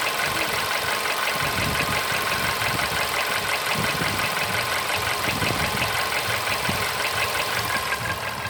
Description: Стук в двигателе поло седан. Что стучит?